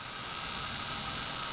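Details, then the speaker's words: Chennic DC-to-DC converter in 1987 Dodge Daytona electric conversion with dashboard and headlights on, holding steady 13.5 V: steady high-pitched hiss, less or changed in pitch versus before; cause unknown. "so with headlights on this device is putting out now 13.5 volts but again holding pretty steady so that's not too bad and the hissing is less"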